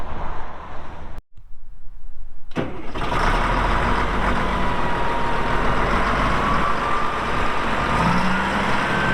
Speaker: Starts up good, like really good. As soon as it turns over, it's running. No excessive smoking.